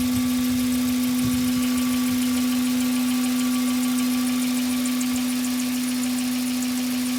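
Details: Hyundai Coupé Tuscani engine running: steady mid-pitched drone that doesn't change; engine noise, cause not identified, though loading glitches at 0:10 and 0:23 are not real sounds.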